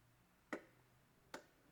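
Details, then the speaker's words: 70 Series LandCruiser under-bonnet dual battery system: pressing the jump-start switch gives two sharp, clean clicks as the solenoid contacts engage and release, joining the auxiliary battery to the main battery, which is normal. "so you can hear that clicking noise that's the solenoid con tacts uh engaging and disengaging and that there is joining the auxiliary battery to the main battery"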